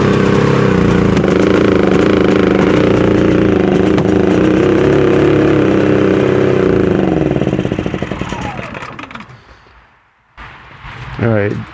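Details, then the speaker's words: Predator 5000 generator running on propane after a pull start (battery low): uneven, wavering beat that sags and dies; runs rougher on propane, sounds like it's choking itself out, and the plug reads rich; cause unconfirmed. "Definitely runs rougher on the propane. Um, and definitely sounds like it's choking itself out."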